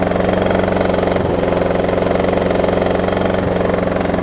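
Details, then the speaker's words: Blown Briggs engine on a Troy-Bilt self-propelled mower, run wide open, roars with a steady, rough knock pulsing through it while smoking somewhat less than before. "I don't know, just for kicks, I might let it run out here a little while since it's not smoking as bad. You hear it knocking too."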